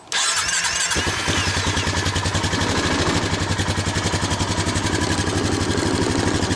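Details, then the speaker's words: Honda Foreman ATV after repairing a mouse-chewed wiring harness with liquid electrical tape, on a trickle-charged battery, in neutral: a brief crank, then it fires at once into a quick, even single-cylinder putter, the fender shaking, normal start and idle. "There She Goes fire it up a little shaking had to grab my pop cuz Fender's shaking too much"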